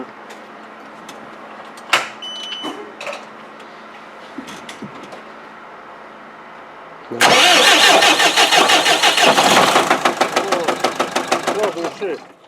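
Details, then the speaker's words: Cummins 3.8 diesel that began knocking the day before, engine sprayed with oil apparently leaking at the front, started at idle without revving: a steady, heavy knock about three per second; broken crankshaft suspected. "так вот такая обида у нас ребята так вот стучит двигатель этот камень с 38 штук конечно страшно тут сразу услышишь поймешь из-за чего это происходит"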